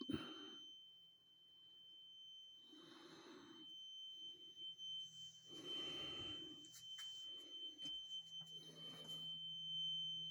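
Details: Carbon monoxide alarm going off around 1:45 am indoors, heard from the hallway where it is strongest; a thin, high steady tone holds without a break under quiet room sounds, later found to be a small cellphone-size box on the floor.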